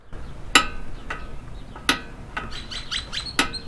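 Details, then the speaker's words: Lectric XP 3.0 e-bike mechanical disc brake with inner pad fully backed out and only the outer pad adjusted in: three sharp ringing pops as the lever is squeezed, the caliper piston suddenly losing pressure and backing off the disc. "you hear that pop that pop is indicating that the Piston is losing pressure quickly backing off of the of the disc"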